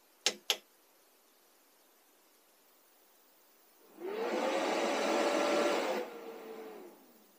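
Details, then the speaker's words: Portable power station powering on when output activated with solar input: two quick clicks, then the small fan spins up loudly for about three seconds during self-test and winds down; normal one-time fan self-test. "so I turn off the power station once more and as soon as I activate the output the power station will turn on do a self-test on the fan and be ready for charging"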